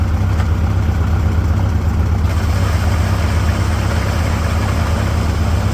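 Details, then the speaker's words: 1946 International Harvester Farmall H after repairs, gravity-fed from its fuel tank: low, uneven loping idle about two to three beats a second; the tank isn't giving enough head pressure, starving the engine of fuel. "That's what I feared. This fuel tank is not giving it enough head pressure."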